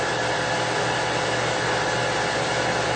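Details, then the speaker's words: Mathis Labcoater LTE-S with heat switched on, fan interlocked to start automatically: smooth even airy rush of fan and exhaust blower with faint steady hum, no knocks or rattles; running normally. "Vice versa, if I press heat, the fan will come automatically. And you can hear now the fan blowing and the exhaust blowing."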